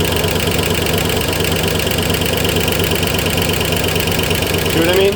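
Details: 1964 Oldsmobile 394 V8 at idle, loose uneven knock that grows louder as it heats up, temperature gauge near 200–210°F, steam off the radiator and lower hose, no fan or shroud; owner suspects overheating, cause unconfirmed.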